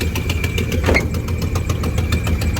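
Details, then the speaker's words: Car with headers, engine not yet warm, idling lumpy with rapid ticking puffs from exhaust leaks. The rear gasket has possibly blown again after an earlier replacement; a steady high whistle of unknown source is heard at idle. "uh so i got into some exhaust leaks as you can hear um sounds like that rear gasket might have blown out again um which is kind of annoying because i had it replaced once already i don't know what's up with that whistling noise now"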